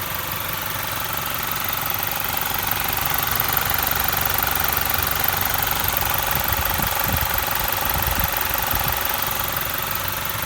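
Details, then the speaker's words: Toyota 1GD diesel, just serviced, about 20000 on it: even, quiet idle with light steady clatter and no uneven knock; normal diesel idle, quiet for this engine. "that's what a 1gd seems like for 20000 pays on it it's just been serviced it's clean"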